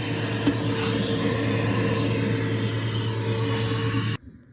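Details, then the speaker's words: Garbage disposal after removing broken glass bottle pieces with vacuum, plugged back in: steady even motor hum with low buzz about four seconds, no rattling or grinding, cuts off cleanly; running normally. "And I believe everything is out. But we're gonna turn it on again and see."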